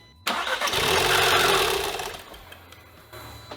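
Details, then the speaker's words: 2015 Audi TTS rollover auction car, first start attempt after checking timing, plugs, air filter: engine catches and revs cleanly then dies within two seconds; starts repeatedly, owner suspects a shutoff triggered by deployed airbags. "We obviously have some sort of issue preventing it from running, but it starts. It started 5 times, in fact."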